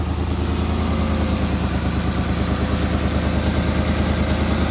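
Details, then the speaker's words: Porsche Cayenne GTS 4.8 V8 first start after service with new oil, air filters and spark plugs: even, steady idle with smooth low rumble, no misses or hunting; sounds much better than before, throttle response improved. "So, it's got new oil, new air filters, uh, new plugs. Oh, that sounds better."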